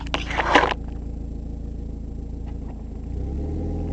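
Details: Mazda MX-5 idling: rapid, raspy puffing in the exhaust beat from an exhaust leak at the catalytic converter joint, which has no gasket.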